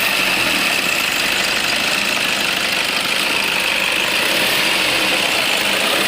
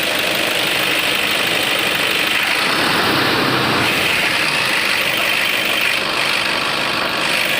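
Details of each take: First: Toyota Innova at warm idle: a steady high-pitched squeal rides over the idle after the engine warms up and grows gradually; spraying water stops it, confirming a slipping alternator belt, which is due for replacement. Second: Toyota Innova diesel idling after V-belt replacement, run warm for 15-20 minutes when the noise previously appeared: even idle with steady hiss, no squeal, chirp or knock; belt noise fixed.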